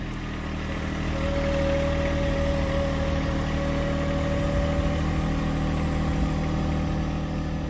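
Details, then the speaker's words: John Deere 1025R tractor with front loader struggling to lift a chicken coop: idle with a thin steady whine over the engine at even pitch; owner unsure whether it is hydraulic whine or front steering, which has no grease fittings. "is that a hydraulic whine or is that just the steering in the front?"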